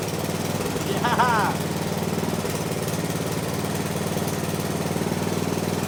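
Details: 1970s Massey Ferguson MF-12 garden tractor, Tecumseh 12 hp single-cylinder, running again just after a replacement head went on over the cracked one: chugging idle with an irregular, hunting beat that won't settle; owner suspects the carb needs going through.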